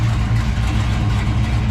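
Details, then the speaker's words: 1972 Buick GS 455 V8 with Rochester Quadrajet and big cam idling with a deep loping rumble at about six inches of vacuum, after a wider primary spring cured its over-rich idle. "running about oh six inches of vacuum only when it's uh at idle a lot of overlap in the cam"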